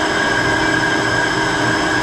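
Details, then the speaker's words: 20-inch Clausing three-phase drill press running, with a phase converter audible in the background: a loud, steady metallic whine and rough rushing noise; the owner suspects a couple of bad bearings up top and later hears grinding in high range. "I think it's got a couple bad bearings up top this thing is really noisy let me show you"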